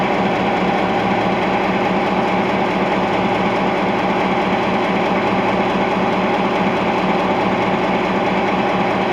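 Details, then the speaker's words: Nickel Plate Road GP9 514 with EMD 16-567C two-stroke diesel on a newly installed block, idling: deep, even, steady, unhurried chug with no knocks or misses; healthy normal idle. "The EMD 567 Sia idle. Listen to that beaut. Nickel plate road, GP9 514."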